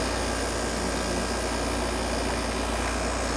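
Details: GoldStar air conditioner on its first real use in 7 years, heard at the compressor outside: steady even low hum with a constant airy rush, no knocks or rattles; compressor running normally.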